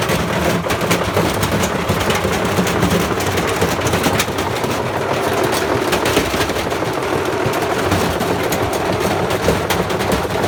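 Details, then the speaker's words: Bosch Classic 6 1200 Express washing machine hot-wired straight to the motor, top ballast removed, loaded with objects: heavy irregular pounding and rattling bangs as the drum turns, gradually tearing itself apart; drum support (spider) suspected breaking up. "i'm gonna move it back to where it was and give another go it is it is gradually like tearing itself apart it's pretty grim in there"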